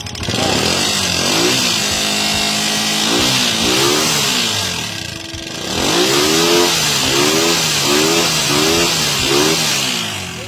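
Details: Recently rebuilt TMX motorcycle single-cylinder engine revving with a loud, dry top-end clatter over the engine note; problem traced to the timing gear area, worn cam followers and camshaft lobe.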